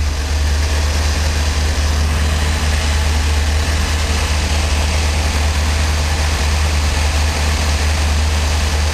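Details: 1984 Corvette with Crossfire Injection, cold start on a 25°F morning, temperature gauge not yet registering, after restoring the Thermac heated air cleaner. Steady, even low rumble with no stumbles; a smooth, healthy cold idle.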